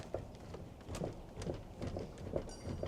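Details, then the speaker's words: Driver door of a 1990 Chevy OBS 454SS pickup rocked by hand before repair: dull knocks about twice a second from worn-out hinge pins and bushings. The door needs heavy force to close; new pins and bushings are to be fitted. "I mean, you don't even have to see it. You can hear it. this thing. The bushings are smoked."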